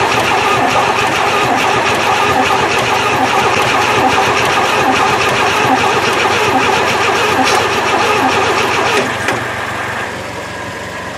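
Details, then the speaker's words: 1968 Chevy three-on-the-tree truck not run in 15 years, gasoline poured down the carburetor: even rhythmic cranking about three turns a second that never catches; no spark found, coil suspected. "yeah I don't think she's got spark well I was kind of hoping that this would go a little bit easier than this"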